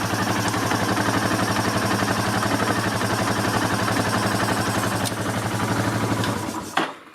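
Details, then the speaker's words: Yamaha Terrapro with PTO engaged: steady rapid clunking knock, about four a second, over the running engine, from a worn PTO bearing with a lot of play. "It's just when you engage the PTO, you hear it clunk, clunk, clunk, clunk, clunk, clunk. And that bearing has a lot of play."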